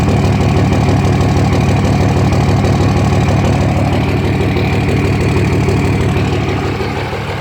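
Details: 2004.5 Dodge RAM 2500 Cummins diesel idle: deep, heavy, lumpy pulse about three times a second; owner asks if normal, with excessive vapor from oil fill cap (suspected blow-by); rough idle, cause undetermined.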